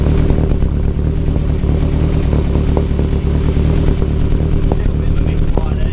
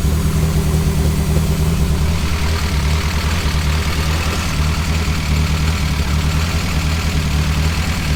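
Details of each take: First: Nova with a freshly finished 3-inch exhaust, idling at about 1000 rpm and running very rich (AFR 10.0) with good oil pressure, before a heat cycle: a lumpy idle with occasional pops and a busy ticking top end. Intermittent misfire suspected; the head is very noisy. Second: Nova on new 3-inch exhaust, idling about 1000 RPM, running very rich, warming up; deep slightly lumpy idle with occasional popping misfire and noisy head, but no exhaust blow, hiss or leak.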